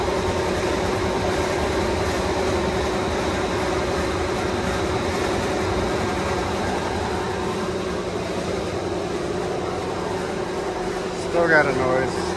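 A constant low rumble with a droning hum, rough and uneven under a steady airflow. This points to a worn blower bearing.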